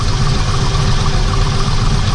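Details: V8 after fixing a grinding noise traced to a backed-out bolt, pulley and belt reinstalled: smooth, even idle with steady low rumble and no grinding from the accessory drive; normal idle.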